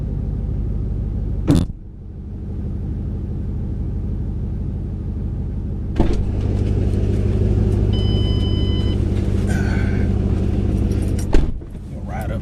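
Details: 2008 Ford Mustang GT driving after installing an MSD Blaster coil-on-plug set (dealer found 5 bad coils causing misfire): steady, smooth low drone through gear changes with no stumbles. The misfire is gone.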